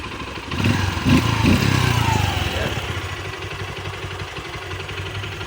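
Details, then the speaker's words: Honda XR150 that used to die after a few kilometres, pulser replaced without effect, now CDI replaced: single cylinder keeps a steady, even beat with no misfire or cutting out on road test. "So hindi naman siya namatay kasi ang issue niya namamatay siya."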